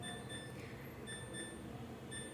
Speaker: ఇక్కడ సౌండ్ వినిపిస్తుంది కదా, బీప్ సౌండ్, అది ఎక్కువసేపు ఓపెన్ చేసాం కదండి, అందుకు అలా సౌండ్ వస్తుంది.